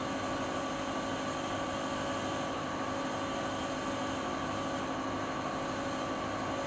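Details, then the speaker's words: Siemens iQ300 washing machine (labelled WG41A1X1TR 9 kg 1000 rpm, also described as 10 kg 1200 rpm), high-speed part of the 13-minute spin, about 72 dB and not silent. Steady whoosh and constant motor hum, no knocking or rubbing: normal spin cycle. "Sizler de makinenin ses seviyesini görmüş oldunuz. Fakat şöyle söyleyeyim, makine sıfır sessiz değil."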